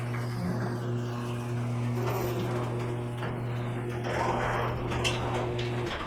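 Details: Garage door after cleaning and lubricating rollers and rails: steady low motor hum as it travels smoothly with no squeal or grinding; noise dropped from max 82 dB, average 59 to max 73, average 47.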